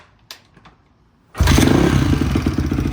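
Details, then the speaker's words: Barn-find Honda CRF that hadn't run in years, after valve adjustment and cam chain work. Cold, with choke off, it starts on the first kick and settles into a crisp, steady single-cylinder beat, barely smoking. Normal cold start. "Bike sounds good. Sounds like a Honda. Um, doesn't even really smoke."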